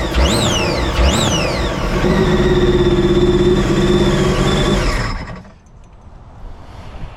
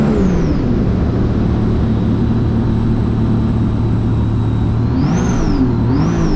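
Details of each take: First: 2017 supercharged Sea-Doo RXT-X 260 jet ski restarted inside the shop with water in the intercooler: two blips, then an uneven, stumbling idle before it cuts out; a misfire caused by the water in the intercooler. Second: 2017 supercharged Sea-Doo RXT-X 260 jet ski with higher-compression pistons, after fuel was adjusted in the map tuner: a steady loud drone with a thin whine and two quick blips that lift the pitch, then ease back; smooth, normal running.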